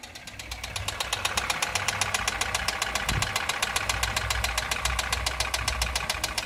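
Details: Toyota 2SZ-FE engine at idle: sharp, regular light ticking about four per second from the valve train (lifter-like tapping), suspected from clogged oil passages starving the hydraulic lash adjusters and leaving large valve clearances.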